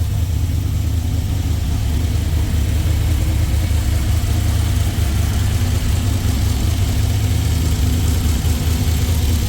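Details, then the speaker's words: Jeep with freshly rebuilt LS V8 (forged internals, higher compression, new cam), first cold start, fan off, 50 psi oil pressure: deep even burble, no knocks or ticks; normal cold idle. "There she comes in. [Music] Sounds much better. First fire was great."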